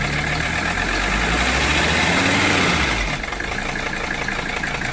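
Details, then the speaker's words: 1982 Mercedes 300SD diesel after fitting bench-tested injectors, compression tested very low: rough uneven idle clatter about four pulses a second, labouring note, still smoking; injectors made no difference, low compression blamed. "It's probably due to the low compression then, unfortunately. I was really hoping to see a difference after changing those injectors out, but doesn't look like it."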